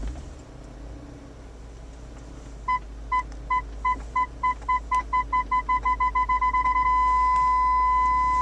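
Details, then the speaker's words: 2000 BMW E39 M5 reversing toward a garage wall after a rear PDC ultrasonic sensor replacement: beeps quicken as it nears, then go solid within about a foot; parking sensors working properly. "Okay, solid beep means you're within about a foot. I went a little bit past that. Oh yeah. And that's pretty close there. So it looks like the parking sensors are working beautifully."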